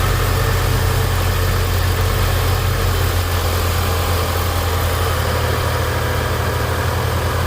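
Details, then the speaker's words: 2011 Mitsubishi Eclipse 2.4L just started: steady, even low hum with no misses, knocks or ticks, idling pretty smooth while warming up, check engine light on; normal idle. "We do have a check engine light on. Seems to be idling pretty smooth."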